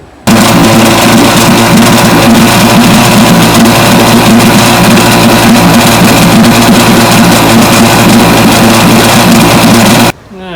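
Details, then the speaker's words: Vintage Johnson outboard revved at high speed with a choppy, stumbling beat: top-cylinder ignition misfire, still missing after cleaning its points; wiring, condenser and coil to check next. "pretty obvious that cleaning the points on the top cylinder did not do it it's still missing pretty bad"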